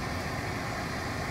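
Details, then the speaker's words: 2010 Mercedes C300 after replacing the dead AC/heater blower motor: engine started, blower gives a steady, even rush of air with no ticking, rubbing or squeal; heat flowing. "so i'm going to start it up and i hear the blower already crank it up it looks like all the connections are good i feel the heat coming out of my feet"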